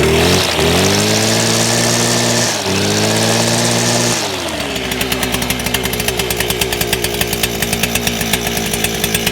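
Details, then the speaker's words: Stihl FS400 brush cutter two-stroke, repaired with a Chinese carb, warm with no choke; revs, drops back and settles into an even, crisp idle with steady firing pulses; normal idle. "so it has been started up today so it is actually a warm so i won't even choke or anything but you can just hear it run and tick over"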